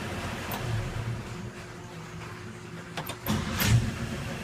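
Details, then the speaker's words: 1961 Chevy truck, normal start after fitting new spark plugs: brief crank, then catches quickly without gas or choke and settles into a smooth, even idle; starts much better than before. "I'm not even pressing the gas I promise you that choke's not on and off starting right up great it's running great"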